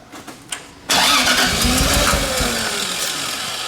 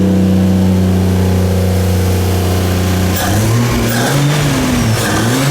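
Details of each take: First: 2JZ-swapped Nissan 240SX, turbo, first cranking without fuel or ether: catches then stumbles choppily as if running on only 2-3 cylinders; timing suspected. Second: 2JZ-swapped Nissan 240SX first start after fix: strong steady idle revving up and down cleanly, loud exhaust, no misfire, knock or rattle; engine running healthy.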